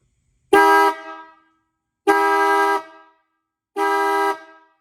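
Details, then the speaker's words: Restored 1950s–60s Ford horn after rust bath and adjusting the nut: three firm honks, each under a second, with a clean steady bright tone and no sputter; working like new. "Sounds like new. So that's it."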